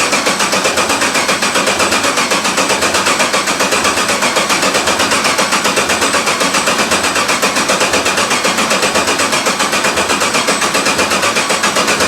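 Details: 1991 Porsche 944 S2 swapped to a Chevy 6.0 LS L77 V8, first start in over a year on year-old gas after refitting the fuel system and driver-side injector O-rings: fast, even idle with a bright busy tick throughout, steady, no misses or surging; normal idle.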